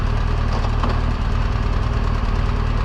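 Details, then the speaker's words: 2016 BMW R1200 GSA while cruising on a trip. A quick tick about four times a second over the engine drone, growing louder over the trip. Valve-train ticking from a worn cam lobe and rocker arm, per a BMW service letter. "the ticking gets louder and louder the further we got into the trip and we actually tried to find somewhere to stop in salt lake to have it looked at"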